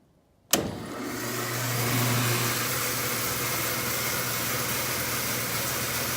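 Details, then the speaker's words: Crescent 32-inch bandsaw, 1.5 hp motor on new 220 V 20 A circuit, belt on, first start under load after no-load test: silence, sharp start, smooth steady hum levelling off; motor comes up to speed cleanly. "Got the tracking and blade all adjusted. Got all of the tools cleaned off. And it's time to see if she starts."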